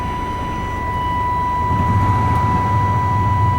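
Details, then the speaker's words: 1998 Chevy Vortec running again after 10 years off the road, following a Passlock reset: steady, even idle with a smooth low rumble and a constant faint high whine; it is charging, has plenty of oil pressure and the temperature is rising, with no knocks or misses. "running good."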